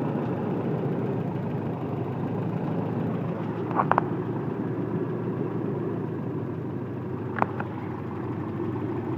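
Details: 1995 Toyota truck with 22RE EFI engine at idle during timing check, base timing found at about 5 degrees with no adjustment needed: low, steady idle with an even note and a couple of faint handling clicks; it idles smoothly.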